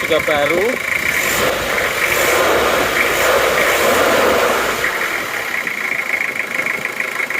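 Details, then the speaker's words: Toyota Kijang diesel 2L after rebuild for oil burning from 2 mm ring gap, new liners, original rings, idling after 3 km driving, still breaking in: even crisp clatter about four beats a second, no odd knocks, smooth healthy. "rasa untuk suara sudah bagus sekali renyah dan halus rata"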